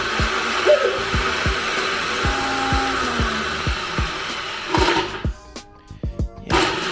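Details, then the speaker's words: 1986 Honda Rebel CMX250 barn find, long unused, plugs out after PB Blaster in the cylinders: whirring crank with irregular thumps about twice a second and no firing; owner suspects the starter spinning without catching. Engine cranks but does not start. "I don't know if that's like the starter when it's cranking it's probably like spinning and not catching"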